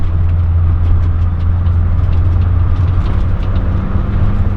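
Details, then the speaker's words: 1972 BMW 2002tii Alpina A4 tribute driven on a bumpy road: steady even engine drone under road noise, no knocks or rattles, tires don't rub; healthy. "it doesn't have any weird rattles that would drive you nuts"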